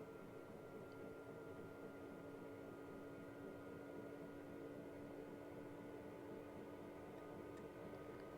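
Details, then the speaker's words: Cheap Chinese eBay diesel heater in a caravan, warmed up with outlet too hot to touch, fan stepped up past level four toward level six (highest), about 2.2 A at highest; soft even air rush over steady low hum, no ticking or wobble; normal heater fan running. "well really it's just the fan speed so fan speed 6 which is the highest on ours"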